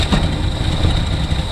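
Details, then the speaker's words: Engine fires briefly on fuel poured directly down the carburetor: a short, rough, uneven burst of low firing that dies away, pointing to a fuel delivery problem. "what do you know? It fired up. Yeah. That is awesome. Let's get some more fuel in that carburetor, because I really would like to hear it run a bit longer than that."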